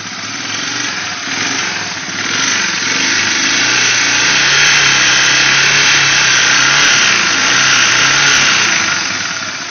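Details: 1989 Honda Fourtrax 300, first start after a frame-off restoration: a steady, even single-cylinder beat with a clean rise on throttle and no knocks or rattles. Normal running.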